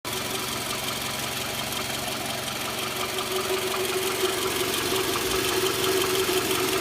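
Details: Toyota Camry V40 2.4L: light, fast ticking engine knock, about three per second, steady at idle and rising slightly with revs; source not pinned down.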